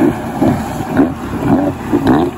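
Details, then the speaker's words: Kawasaki 650 SX stand-up jet ski after refitting a disconnected exhaust clamp that caused power loss and stalling, on the water: strong, even engine drone rising and falling with throttle over wind and splash; normal running after repair. "sounds like it's going better"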